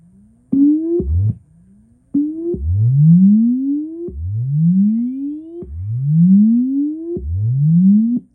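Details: Fender Blues Deluxe reissue 40-watt tube combo on the bench via current-limiting bulb, power tubes likely biased cold: clean rising sine sweeps with no crackle, hum or breakup; amp reproduces the test tone normally.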